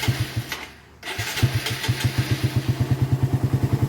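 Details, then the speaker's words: Single-cylinder bike (Raider) after fitting a 28mm Keihin carburetor and slightly adjusting a temporary manual cam chain tensioner, previously noisy engine: starts after short crank, even steady idle, no top-end ticking; engine now fairly quiet. "Kaya ngayon medyo tahimik na yung makina ni Paps."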